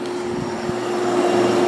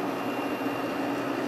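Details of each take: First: Whirlpool 6,000 BTU window air conditioner: the compressor runs with a steady low hum and a constant loud hiss that stops instantly at shutoff, and the unit no longer cools; refrigerant was lost through a slow leak. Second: Kenmore 5,000 BTU window air conditioner just installed, running on low speed: smooth constant hum with soft fan tone, no rattles or surging; operating normally.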